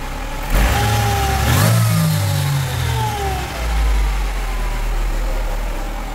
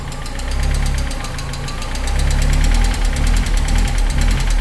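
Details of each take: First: 1998 Mercedes SLK230 R170, M111 Kompressor engine, after ECU damaged by central locking module CAN short was replaced with a cloned unit: engine climbs cleanly through quick blips and returns to steady idle, no stumble; idle hunting fixed. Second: 1998 Mercedes SLK230 R170, M111 Kompressor engine: idle swells and sags in slow surges, never settling, when throttle closed; runs fine with throttle opened 5–10°; throttle adaptation stops prematurely; hunting caused by a faulty ECU.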